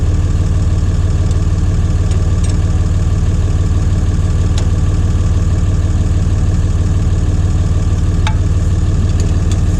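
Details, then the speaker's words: John Deere 2030 tractor diesel, Stanadyne/Roosa Master injection pump just refitted after overhaul and calibration: even cranking about three beats a second, not firing yet, fuel emerging at lines two and three while bleeding. "we got fuel coming out number two and number three and we're gonna tighten the lines up and it should go kicking off here just a little bit now or at least get smoke coming out the exhaust"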